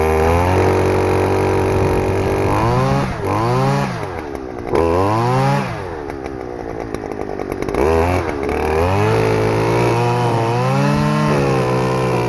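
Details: Stihl FS-250R two-stroke trimmer after carburetor rebuild kit (hardened diaphragm from long storage with old fuel), cutting wet grass: revs up, bogs slightly when cutting, pitch rising and falling cleanly with throttle; normal running under load.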